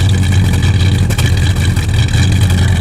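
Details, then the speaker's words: 1970 Chevrolet Impala, 350 V8 with about 175,000 on it, new single 2.5-inch exhaust, smoking slowing down; idling before idle is backed off. Deep loping idle, beat skipping now and then; it's missing. "he uh Missing it's got so anyway here we go 350"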